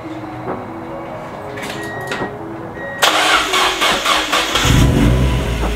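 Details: Mazda Miata after fitting a custom cold air intake with Vibrant filter, exhaust loud: starter churns briefly, engine catches cleanly with a couple of crisp revs; healthy start, no check engine light.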